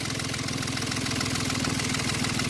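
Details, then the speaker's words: Yanmar 3GM diesel in a Hunter 35.5 sailboat after throttle cable replacement, idle being adjusted down with a flathead screw: slow, heavy chugging with uneven thumps and a shaky beat; idle speed too low causing shake, so it is brought back up. "That sounds about That's the shake right Yeah, there. that's a shake, so we're gonna bring it back up."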